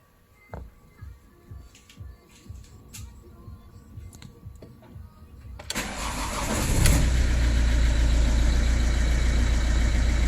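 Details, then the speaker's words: 2010 Ford C-Max diesel after the instrument cluster repair and clearing the fault codes, including the immobiliser: the starter cranks about 3.5 turns per second, catches cleanly and settles into a smooth, even idle. Fault fixed. "jest okej także usterka rzeczywiście usunięta jeszcze się przejadę nim i sprawdzę"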